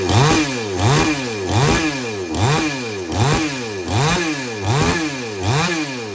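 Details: Chainsaw that would not take load or restart after running. After setting H and L screws fully in, then out three turns, about eight quick blips in six seconds rise cleanly to high revs and drop smoothly: normal throttle response.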